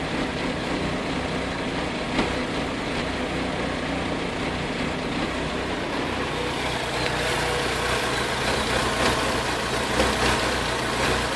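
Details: Vauxhall VX220 engine misfire: uneven lumpy beat with irregular stumbles instead of smooth even note, typical of one cylinder misfiring.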